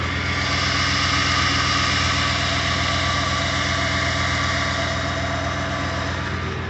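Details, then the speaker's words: Freshly rebuilt and updated 2007 Ford 5.4L 3V V8 at its first start, with the fan shroud and air intake not yet refitted and a battery light briefly flashing: quiet, even idle with a steady low hum and no ticks or knocks. Normal idle. "she lives and breathes and she sounds good sounds really quiet though sounds really quiet"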